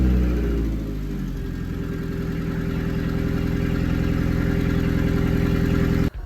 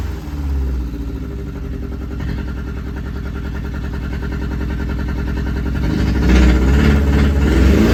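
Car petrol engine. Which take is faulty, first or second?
second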